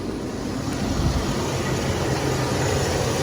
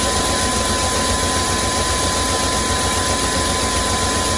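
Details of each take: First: 2001 Chevy Express van, 4.3 V6, ran very rough after sitting nearly 3 years; after replacing spider fuel injector, ignition coil and distributor, warm idle after 30 minutes is steady and even with smooth low hum, no sputter, shake or service engine light. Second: 2001 Chevy Express van, 4.3 V6, after sitting nearly 3 years, started on starting fluid after a spider injector, ignition coil and distributor replacement: uneven, lumpy throb at a quick idle, shaking and smoking; rough-running misfire.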